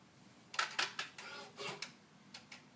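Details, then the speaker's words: 2013 Ford Focus with the engine off after the door is opened: sharp clicks then a short whir from the right side of the engine, repeating about every 8 seconds, around 25 times; the dealer called it normal, later fixed under TSB 13-4-18. "definitely somewhere kind of on the right side of the engine there's been times where it's just done once and stops and I can kind of believe that may be something realistic but to do it 25 times every time you open the door I really don't believe that's"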